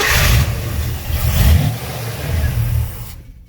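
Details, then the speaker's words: 1958 GMC 4x4 engine started with brake-parts cleaner: it catches and runs with an uneven, lumpy beat for about three seconds, then dies; hard start and rough running, carburetor gunk suspected. "Well, looks like I'll have to pull the carburetor off, clean it out. Probably got a bunch of gunk in there."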